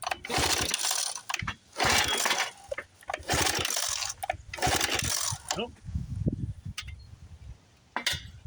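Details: 1976 Johnson Seahorse 9.9 outboard, 30+ years stored, choke on, in neutral. Repeated rope pulls about every 1.5 s with a ratcheting whir and no firing; owner suspects fuel starvation from the carburetor float, and the carburetor is pulled next.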